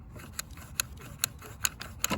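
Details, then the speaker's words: Husqvarna lawn mower, recoil pull starter just spins; light sharp clicks about twice a second as the pawls snap out without catching the flywheel; recoil starter not engaging. "you can hear the little things flying out to catch the flywheel"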